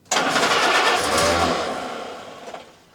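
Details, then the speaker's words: WWII Willys Jeep cranked on full choke right after a carburetor replacement: the starter churns hard for over a second, then fades without catching while it draws fuel. Hard start, cranking without firing. "so I'm going to turn her over and see if she'll fire up we're going to go with full choke and see what"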